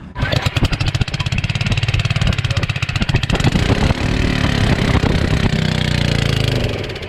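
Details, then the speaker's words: Generac 01292-2 pressure washer small engine, after carb cleaning: an uneven, surging single-cylinder popping as it runs weak, not at full power, then dies; cause not yet identified. "And it died. Why did it die? Something's not right. It's not running at full power."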